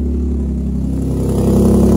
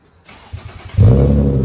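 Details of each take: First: Infiniti G35 coupe idling with a rough, loud chuffing, an uneven rumble and rapid puffing, like a tractor; horrible exhaust leak from failed flex pipes, with the muffler hanger rubber burned and the muffler partly detached. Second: G35 coupe after replacing the flex pipes/Y-pipe to fix a bad exhaust leak. It revs cleanly with a deep, even exhaust note and no ticking or puffing leak; the exhaust now sounds sealed and healthy.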